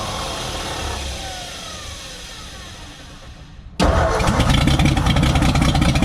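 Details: 1957 Ford F100 being revived: cranking slows and fades, then starts again harder at about four turns a second but never catches into an idle; the choke is off.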